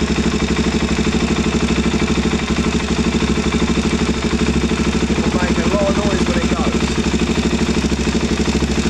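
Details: KTM 690 single at idle with newly fitted Rally Raid mechanical cam chain tensioner under-set: fast, light rattling tick on each beat; cam chain noise from loose tensioner.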